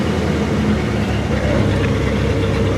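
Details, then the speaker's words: 1964 Ford Thunderbird 390 V8 at cold idle: low lumpy loping beat, no clear knock, visibly shaking; shakes less once warm, drivable. Cause not confirmed. "yeah I mean you see it shaking pretty good but when it warms up it doesn't shake quite as bad is drivable"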